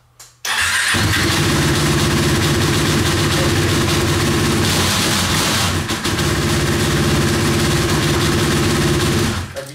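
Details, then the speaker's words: KTM Duke 125, had spark but wouldn't start, after fitting a used ignition coil and reassembling: brief crank, then steady even single-cylinder beat, no misses or knocks; runs clean. "Silnik chodzi elegancko bezproblemowo więc możemy składać do kupy i oddzwonić do klienta"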